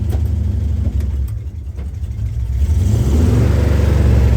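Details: 1966 Ford Bronco U13 barn find, slightly warmed up: drops back then picks up cleanly into a smooth, even rev with a firm low rumble; running well.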